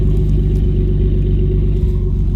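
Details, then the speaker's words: 1988 Jeep Comanche after fuel leak repair, warm at 92°F ambient with good temp and electric fans running: deep, even rumble, idle slightly high, no misses, ticks or squeals; belt and brake squeaks gone; runs healthy. "Idling a little high, but look at the gauges. Good temp, 92 degrees out here, electric fans running."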